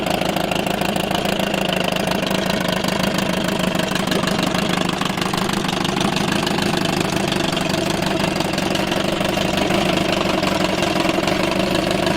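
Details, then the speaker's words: 1987 Johnson 4hp twin two-stroke outboard in a water barrel, first start since last summer, on old fuel mixed very rich with oil, slightly smoky: steady even buzz with a busy rattly top end, no misfire or hunting; normal idle. "it's idling over absolutely fine so let's just do a quick walk around with it"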